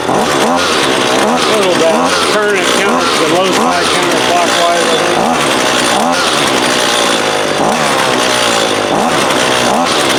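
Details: Husqvarna 128LD 28cc trimmer, warmed up with the line fully extended for load, that won't idle: during low-side (left screw) carb adjustment, the revs rise and sag repeatedly, stumbling instead of climbing; lean hesitation.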